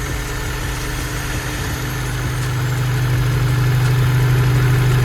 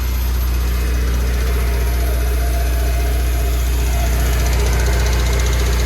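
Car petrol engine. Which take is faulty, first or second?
second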